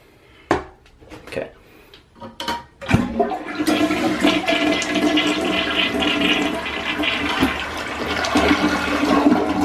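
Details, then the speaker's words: Toilet flushed after replacing the fill valve to cure vibration after flushing; a few handling knocks, then a strong even rush and gurgle of water with no vibration or humming, a normal flush. "all right there's no vibration or loud noise so there you have a guy's problem solve"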